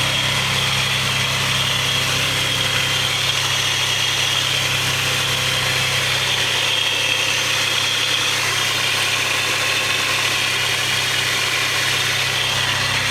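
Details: 3000GT/Stealth twin-turbo idling, camera panned underneath the car: a thin high whine near 3 kHz over the engine hum, apart from the known lifter tick at startup; source on one side of the motor, unidentified.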